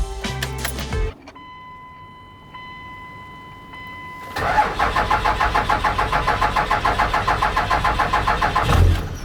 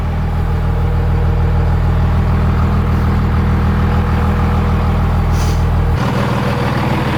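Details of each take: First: Cummins diesel truck, right after fitting a new starter: cranks slowly in an even beat for about five seconds before catching; the hard-start problem persists and the owner suspects the injection pump, not confirmed. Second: Everything sounds good.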